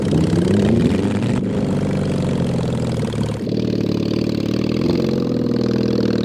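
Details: Mid-70s Honda CB750 SOHC 750cc engine swapped into a 1980s Suzuki Quad Sport 230, first ride: chugging, wandering revs and poor throttle response; rough running, likely carburetor problems, no real exhaust and worn points ignition.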